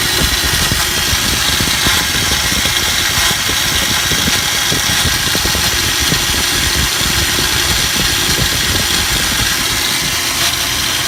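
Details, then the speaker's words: Vehicle just fitted with a mechanical fuel pump and regulator replacing electric pump, run with starter fluid; loud harsh gravelly grinding over the engine note throughout, new since install, owner fears starter damage; grinding noise while running. "But it sounds absolutely terrible. It wasn't making that noise before. It sounds like gravel or something."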